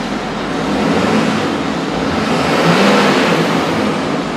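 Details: 6.7L Powerstroke diesel after start/stall DPF issue fixed with new exhaust filtration system, exhaust pressure below one pound: light throttle blip rises and settles evenly, no rattles or surging; normal rev.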